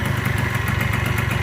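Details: 1987 Honda Elite 50S, AF05E two-stroke, just after a Malossi 65 cc big bore install, at a fast idle around 1,800–2,000 rpm: quick, even popping beat with no misses or rattles; idles smoothly.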